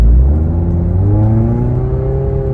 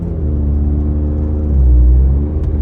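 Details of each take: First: 2012 Scion tC automatic started slipping after a 600+ mile rally weekend, before its D shift solenoids were replaced: engine tone keeps climbing under load while road speed doesn't rise, so the transmission is slipping and not shifting gears. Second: 2012 Scion tC automatic, previously slipping and not shifting, after replacing two shift solenoids: deep engine drone rises under acceleration then drops as it changes up cleanly, no clunk or slip; shifting normally.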